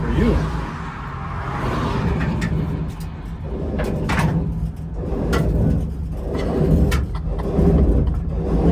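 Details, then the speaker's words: 1960s budget-built Camaro on first test drive: heavy low churning grind swelling and fading about once a second with wheel rotation, like an old washing machine, with smoke; rear axle bearing suspected coming apart. "Sounds like an old washing machine, doesn't it? Yeah. None of that's good."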